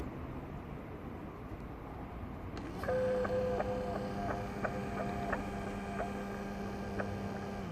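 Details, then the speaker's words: 2005 Land Rover Freelander TD4 in limp mode with code P1260: in-tank fuel pumps compared by amp draw, old weak pump then new pump, which runs with a completely different sound; steady low hum with faint whine; weak old pump blamed, filter also replaced. "now the new pump the second this is the new pump let me see the difference and even the way the pump runs is completely different sound and everything so I'm pretty much convinced that our problem was the pump"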